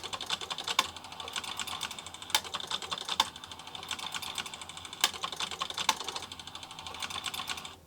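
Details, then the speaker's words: VTech Laser 200 computer's printer/plotter with small rotating color pens, at power-on: irregular light crisp clicks and ticks as the head steps through its routine, no grinding. Normal self-test. "Okay, let's turn it on and see. Okay, it's doing a little exercise."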